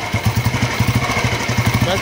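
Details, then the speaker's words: 2008 Royal Enfield Bullet 350 (old model, gears on the right side), self-started and idling: even, deep single-cylinder thump several times a second, no knocks or ticks; the owner says there is no engine noise; normal idle. "Engine में बिल्कुल भी sound नहीं हैर से आवाज आ रही"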